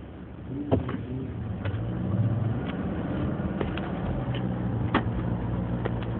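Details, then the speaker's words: 2014 Subaru Forester with CVT in cold weather in the teens: steady raised engine drone and whine at just over 2,000 rpm at 32 mph, never upshifting; HVAC-controlled, lasts about 30 minutes, drops to 1,400 rpm with HVAC off. "You can even hear the motor whining. The higher RPMs. And unfortunately, when the weather's cold like this in the teens, the transmission does never upshifts."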